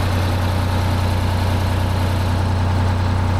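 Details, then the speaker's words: 1975 Peterbilt 359 with 12V71 Detroit two-stroke V12 diesel, restarted after sitting about 15 minutes to check fuel prime: deep, even idle with no stumbling and a touch of slobber, no blowby; normal idle. "Bo that's running nice just got Touch of slobber I ain't mad at that"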